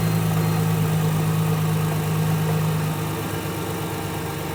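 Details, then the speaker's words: Mercedes SLK350 R171 after replacing both idler pulleys and the tensioner for a squeak/whistle: steady even idle, low hum, no whistle or squeal from belt; alternator bearing still suspected of slight noise. "The sound is gone."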